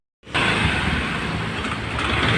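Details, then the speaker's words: Honda Vario carburetor scooter starts and idles roughly with a loose knocking "klotok" clatter; oil had leaked out causing a burnt smell. The knock comes from very low oil and an idle speed set too low. "Dan yang kedua, motor ini saat hidup dia ada bunyi suara seperti klotok-klotok seperti itu ya."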